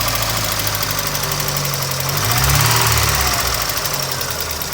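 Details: 1992 Mazda Miata, first start after a cracked radiator and a head gasket the owner believes blew (no coolant in oil): fast, slightly uneven tick at idle, about three per second. Owner unsure if lifter tick or rod knock; oil pressure seems fine.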